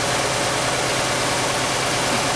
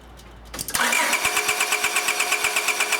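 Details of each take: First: 1999 Honda Accord 2.3L at idle, unknown-history auction car with a bad misfire: steady idle with slight unevenness; plug-wire RPM-drop test shows number 2 cylinder not contributing; later traced to a fuel problem rather than compression. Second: 1999 Honda Accord 2.3L with a bad misfire, distributor connector unplugged to crank without starting: steady, even cranking beat with no uneven strokes, so compression is normal; suspicion moves to ignition or fuel.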